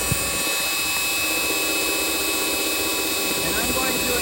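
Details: A/C system extremely low on refrigerant yet with high-side pressure near 270–280 psi and a 255°F compressor discharge, leaky expansion valve and condenser suspected: a steady high whine over the compressor's hiss, the compressor starved of refrigerant.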